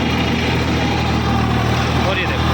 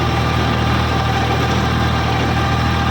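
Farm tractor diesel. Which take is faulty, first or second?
first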